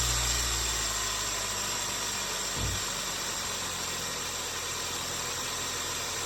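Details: 2011 Hyundai Sonata 2.4 GDI after starter replacement: steady, even idle with a smooth, unchanging note and no knocks or grinding; engine running healthy, warming up to purge air from the cooling system.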